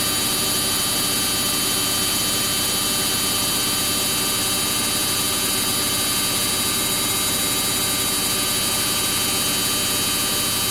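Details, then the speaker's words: Samsung front-load washing machine on a cotton wash cycle with bubble soak and heavily soiled clothes, spinning: a loud, dense, high rushing whine holds level at full speed, likened to a Ferrari, with no knocking or scraping. Normal high-speed spin. "I recall in another of my videos, a subscriber said, it sounds like a Ferrari. But you can hear, it's so fast. It's spinning so fast."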